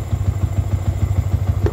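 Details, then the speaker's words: Cold-start idle on a Yamaha New Vixion single after clearing fault codes (bike had severe hesitation/brebet and stalling): steady, even thump, cold idle around 1300–1500 rpm, running normally. "Oke, kita kontak on teman-teman kita nyalakan motor nyala. RPM 1300 1400 kondisi suhu dingin 1500 ya tadi"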